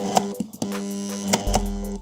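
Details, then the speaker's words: Braun MQ-500 hand blender, seized again after briefly running: it gives only a steady low hum with clicks and never spins; the rotor is locked on a seized, burnt bearing and needs turning by hand again. "Yani arkadaşlar [Müzik] gördüğünüz gibi artık hiç dönmüyor."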